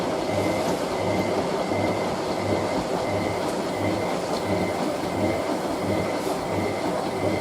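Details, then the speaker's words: Hotpoint 9530W Electronic 1000 Plus washing machine, final spin of a 60°C colourfast cotton wash with a bed throw: loud rough roar with heavy low thump about every 0.7 s, cabinet flexing and machine moving; loud rumbling, unbalanced-sounding spin. "final spin with everything else on. See what I mean? Hurries. Oh, we had to, didn't we? Just for the final spin. That's even worse than the last one."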